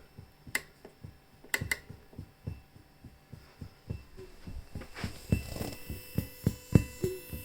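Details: Behringer Murf box with everything turned up: soft low thumps in time with the sequencer pattern over faint hum, persisting with two power supplies and output down; suspected noisy internal clock, not confirmed.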